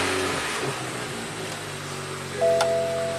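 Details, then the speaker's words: 2014 BMW M235i turbo with a lost electric steering assist after an aftermarket steering-wheel swap. After codes were cleared, the engine idles and one steady electronic chime sounds: the power steering failure warning. A new fault reads "drive motor and index faulty"; a steering rack is suspected. "increase sear effort Drive moderately so no power steering it's fussing read fault code General fault Drive motor and index faulty"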